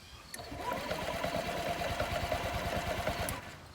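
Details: Honda Ruckus scooter after fuel pump replacement, brake locked: engine cranks on electric starter with fast rough uneven chug and vibration but doesn't start while fuel is bled through.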